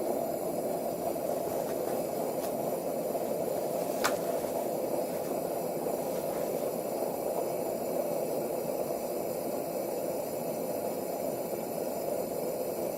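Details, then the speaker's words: Coleman 220 model lantern after installing a replacement generator and new mantles: once the gas vaporizes after turning the cleaning knob, the burner kicks on like a jet, a steady, even hissing roar with no sputter or surging; normal burner roar. "And once the gas gets vaporized, you'll hear it kick on like a jet. There we go."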